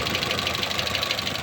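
Fast, even light ticking sits over the revving engine, sharp and metallic, clearly above the motor note; source of the tick undetermined.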